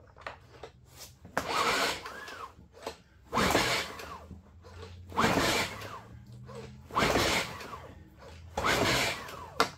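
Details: Generac IQ2000 inverter generator on full choke: five rough cranking bursts about two seconds apart as the cord is pulled, turning the engine over without it ever catching. It fails to start, and spark is checked next.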